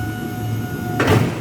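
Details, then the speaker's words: Order picker (LO class) during a pre-operational check, raising the forklift blades with the top left button: steady electric motor hum with a clean, even tone, then a short clunk as the lift stops; normal fork lift operation. "Now, first thing we do is go lift these blades up, make sure they're working. Push the top button on the left hand side and up the blades come."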